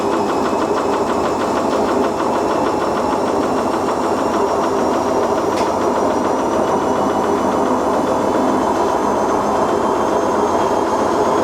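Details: Siemens IQ300 washer dryer on a wool cycle with a pillow: fast steady churning rumble with rapid clatter through the spin, train-like and constant; owner suspects worn drum bearings, not confirmed.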